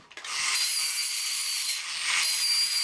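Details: Alps TV robot after repairing the bad flex drive and brass gear on the picture drive unit: high, scratchy small-gear whir with a steady screech from the arm dragging on the motor's large gear as the leg crank cycles; runs evenly, normal.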